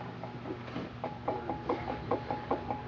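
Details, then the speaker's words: 1976 MGB, engine off: fan rocked by hand gives light uneven clunks about twice a second from a failed, wobbling water pump bearing; not leaking yet, will leak eventually, and sounds gravelly when running. "it wobbles back and forth and when we start it it sounds like there's gravity"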